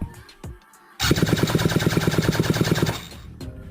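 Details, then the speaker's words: Jetsurf motorised board engine on a rebuilt ICU control unit, started by button after sitting a long time: fast, uneven cranking thuds about three a second that never catch; cranks but won't start, fuel priming planned next. "Сейчас двигатель стоял долго."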